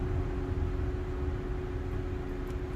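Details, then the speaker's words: Infiniti Q50 (VQ engine) with engine switched off: steady low whooshing drone with a constant hum carries on; radiator cooling fan stuck running, owner suspects a stuck fan relay. "No, the noise went away, went down. It's the fan. Yes, this fan shouldn't be stuck in the on position."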